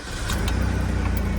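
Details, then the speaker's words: Ian-flooded Chevrolet S10 Blazer, engine untouched, minor thermostat housing coolant leak, BCM cleaned: steady even low idle with regular beat, no stumble or miss; normal idle. "Wow. Like a dream, right? That's nice."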